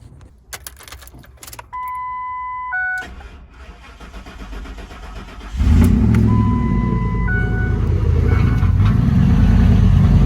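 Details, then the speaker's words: Ford truck with 4.6 V8, back after months sitting at a shop, dead battery, jump-started: it cranks and catches into a low, uneven, loping idle that shakes and runs really rough; cause still unknown. Later it cut out with a no-oil-pressure warning. "I'm gonna show you guys how it's running, because it is running really bad right now."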